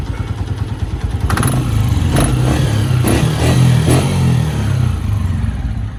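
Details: Honda 125 motorcycle engine: low rumble with sharp uneven knocks when petrol runs out; suspected knocking from fuel starvation, not confirmed.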